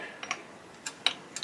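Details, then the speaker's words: Kukirin V3 electric bike during assembly, pedals just fitted: sharp uneven light clicks, about five in under two seconds, as crank turns; chain derailed off the chainrings, minor. "j'ai l'impression que là, vu le bruit, ouais, il est déraillé au niveau des plateaux, c'est pas grave."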